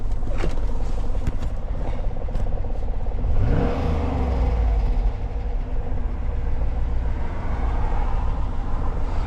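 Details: 2009 Hummer H2 V8, idling with the check-engine light flashing: a deep, uneven idle with a loping stumble and loose clatter from a misfire on cylinder 3. The alternator is not charging.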